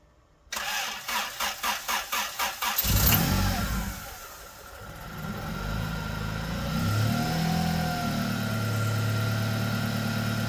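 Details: 1997 Honda Accord after exhaust flange gasket replacement: starter cranks about seven pulses, catches and settles into smooth steady idle with no ticking or puffing; exhaust leak fixed, normal idle.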